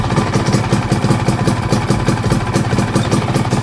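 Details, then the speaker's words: Two-stroke motorcycle after fixing loose one-way (starter clutch) housing and ratio/PE30 carb upgrade: even, steady idle pops with no misses or knocks, much smoother than before the fix. "Oke ternyata ini emang perkara tadi ya yang di bagian one way dan sekarang ini udah jauh lebih halus guys mantap"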